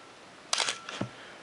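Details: Canon AE-1 Program 35mm SLR (1981), lens removed, fired at around 1/60–1/30 s: two crisp mechanical clacks about half a second apart, clean mirror and shutter cycle with no drag; healthy.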